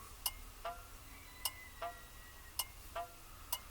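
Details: 1959 Mercury Monterey, dormant for a decade, ignition newly wired with solenoid and switch, key on and engine not running: slow, crisp, even paired ticks about once a second; turn signal flasher cycling normally.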